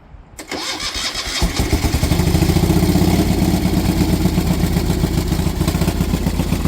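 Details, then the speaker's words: Moto Guzzi 850T café racer custom build, first start after fixing a no-spark problem with new points and condensers: cranks, catches within a second and settles into a steady, even V-twin thumping idle; runs well. "It needs some but pretty good. Yes, folks. It's back. It runs."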